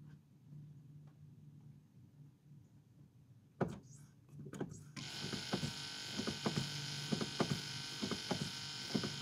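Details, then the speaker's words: Toyota 100 Series Land Cruiser, key on and brake pedal pumped several times: the electric brake actuator/ABS pump kicks in with a steady low hum under clicks, which is the normal, healthy sound. "We turned the key on and pumped the brake a few times, and that pump kicked in, electric pump kicked in, and you can hear that low humming noise. That's what we want to hear."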